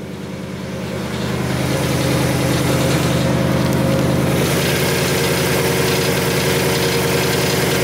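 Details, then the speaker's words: Supercharged 2019 Mustang GT with P0300 random misfire code after a flashing check engine light while racing, just started: slightly lumpy idle with a faint metallic weird rattle; source not pinned down. "so anyways let's go to start the car up and see what what happens here we go see there's a weird rattle coming out of the car too"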